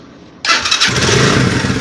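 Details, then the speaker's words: Italika Vortex 250 after half top-end rebuild, noise traced to a loose nut that was fixed: starts first try, steady even idle with no knock or rattle, though seemed slightly mis-carbureted. "no se escucha tanto ruido no se escucha se escuchaba algo aquí y ya no se escucha Porque esa tuerca era la que hacía el ruido"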